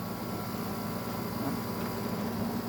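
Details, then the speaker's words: Arctic King air conditioner test, condenser area full of leaves: quiet even hum with soft steady airflow hiss, no rattle, knock or squeal; compressor and fan bearings good; normal compressor running. "Nothing out of the ordinary with that. Yeah, we definitely have a winner with this one."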